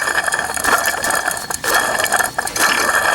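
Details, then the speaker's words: Old water pump from 2010 Dodge Ram 3500 Cummins 6.7, removed and spun by hand: loose, wobbling shaft with dry ratcheting rattle and gritty clicks though it wasn't leaking; worn water pump bearing. "You can hear that? Not a good sound. Old water pump, new water pump."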